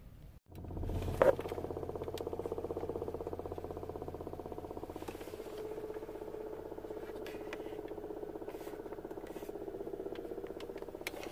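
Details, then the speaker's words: 2007 Toyota Avalon blower motor under the passenger-side glovebox, on high: steady hum with faint uneven ticking and hardly any airflow; motor going in and out and noisy, failing blower motor before replacement. "here it turn it up back high still hear the noise but you're not feeling the ears not blowing"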